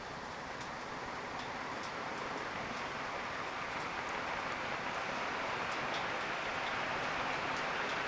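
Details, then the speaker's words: Early-1980s 4 Seasons (4 Saisons) 36-inch ceiling fan, four metal blades, made in Taiwan, on full speed (about 350 rpm): faint light ticks about four a second over a steady air rush, from pieces of ceiling plaster stuck in the motor; quieter at slower speeds. "that clicking sound in the motor that this is the lid what was causing this sound the slower the fan spins the less you hear it"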